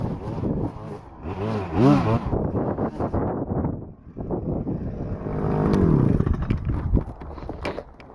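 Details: Stihl FS-250R two-stroke string trimmer after carburetor rebuild kit (old diaphragm had hardened from sitting with stale gas), cutting wet grass in rain: revs drop as line bites, pick up cleanly without stalling; normal running under load.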